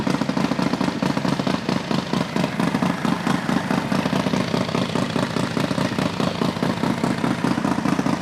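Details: Harley Dyna stunt build, freshly built engine first start before break-in, base map only, air-fuel unverified: strong even loping beat held slightly fast on cold high idle; sounds healthy and steady.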